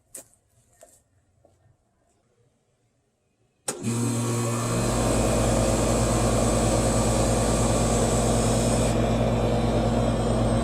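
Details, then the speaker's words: 30-year-old AC condenser fan motor, re-oiled with light mineral oil after chirping returned at 21 months: after a pause starts and settles into a smooth steady hum, no squeak, getting quieter; normal fan operation. "well no squeaking or tripping so far and i think it actually sounds quieter getting quieter as i stand here probably that oil working its way in"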